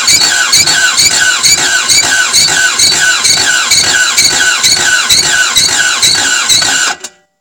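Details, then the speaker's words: Toyota MR2 AW11 after injectors and distributor were cleaned, fresh 91 premium ethanol-free fuel, distributor turned fully (probably advanced): quick rhythmic cranking, two beats a second with harsh high squeal, never catches; cranks but won't start. "that is an angry engine if you've ever heard what am i right"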